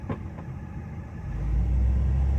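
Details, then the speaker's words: Truck engine with a rebuilt Edelbrock 1405 carburetor, just reinstalled and cranked up. It settles into a deep, steady, even idle with no misses or stumbling; running normally after the rebuild. "But now it's cranking, engine is running. So we're gonna move forward from here."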